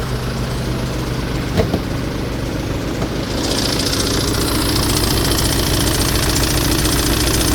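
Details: Tata Safari diesel, 2.2 VTT 2011 BS4 or 3.0 Dicor 2006: steady idle clatter of about three to four beats a second with a rising hiss. Odd noise of unknown source; AC belt mentioned as possible, not confirmed.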